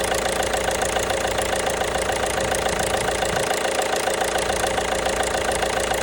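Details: 1.5 BlueHDi (DV5RC) diesel at idle: steady tapping knock about three and a half per second over the clatter; engine knock, source not yet pinned down.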